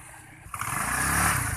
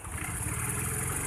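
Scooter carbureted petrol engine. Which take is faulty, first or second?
second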